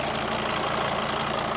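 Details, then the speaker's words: Mercedes Sprinter van with the 602 diesel engine, started after sitting abandoned for two years: smooth, even diesel clatter at a steady idle with no knocks, misses or hunting. Normal idle. "Listen to that purr. It's my favorite engine."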